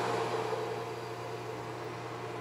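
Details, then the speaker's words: CNSWIPOWER 1500W pure sine wave inverter on 24V batteries running a microwave at maximum load, slightly above its 1500W rating: steady, even hum and fan whir with no surging, buzzing or cutting out. The inverter behaves normally. "chegou a potência ali máxima tá passando um pouquinho do que a potência nominal dele ele está se comportando normal"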